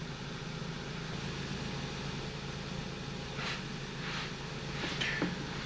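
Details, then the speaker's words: Ford Focus/Fiesta PowerShift DPS6 transmission during ForScan relearn, engine on, AC, radio and accessories off: steady idle hum with soft clicks as gears engage; shaft A learned, now B; clutch touch points 11.12 and 12.7 mm, healthy. "takes about 30 seconds but usually doesn't take that long and you'll hear the transmission shifting like gear shift on shaft a is okay so it's already learned a it's doing B now"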